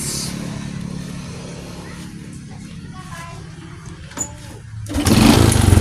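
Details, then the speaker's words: Honda Supra X 125 before teardown: rough, uneven rattling clatter at idle, about four beats a second, then revs rise sharply. This is a worn piston and cylinder block, said to come from servicing left too long; the engine is also hard to start with a flooding carburetor. "kelamaan untuk diganti sehingga Antara Blok dan R ini haus Maka timbul suara yang kasar jadi pada mesin di sana tadi guys sebelum kita bongkar kita anyjalakan mesinnya timbul suara kasar itulah suara yang ini guys suara blok seher"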